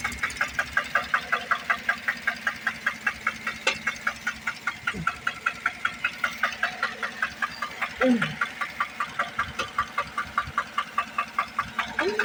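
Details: 2008 Chevrolet Tahoe 5.3 engine: sharp, evenly spaced knocks around two and a half per second over a quiet idle; engine knock at idle, cause not pinned down.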